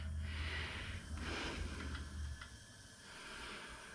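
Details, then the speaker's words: Briggs & Stratton Vanguard on a Snapper riding mower that won't run, leak-down test: soft steady airy hiss clearly heard at the exhaust, possibly a little from the breather tube; air leaking past the exhaust valve. "I'm pretty sure that I hear a little bit coming out the Breather and you can definitely hear it out of the exhaust"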